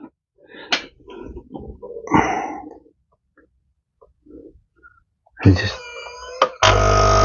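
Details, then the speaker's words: Nescafe Dolce Gusto coffee maker with a flashing red light: a steady low buzzing hum as the pump runs, but no sound of water flowing. The pump runs but delivers no water. "You can hear the pump is running, but no water is coming out."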